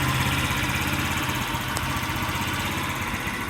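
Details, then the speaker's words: Scrap-yard Chinese scooter with a small engine, air cleaner off, idles with a fast but uneven, hunting putter; owner plans carburetor adjustment, cause not confirmed. "oh yeah actually she idles doesn't idle smoothly like I like it to but I'll tune that up a little bit adjust that carburetor a"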